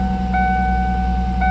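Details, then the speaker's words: 1998 Ford Mustang convertible, 148,000 miles, started after sitting 10 years and a fuel pump replacement, low on gas: steady, even idle with a smooth low hum and faint ring, good oil pressure, running cleanly. "All right, let's see if she starts up. Look at that. Nice."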